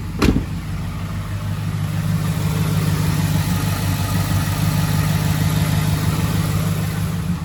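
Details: 2011 Ford F-150 5.0 V8 at idle: deep low rumble with a faint, uneven knock beneath it about twice a second; suspected rod knock.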